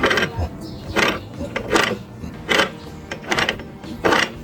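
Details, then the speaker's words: Honda Beat FI scooter final-drive gearbox, hand-turned after replacing the 6204 pulley-shaft bearing: rough gritty clicking about once a turn from other worn gearbox bearings, fixed by replacing them. "Oke bisa kalian dengar sendiri ya suaranya begitu kasar banget"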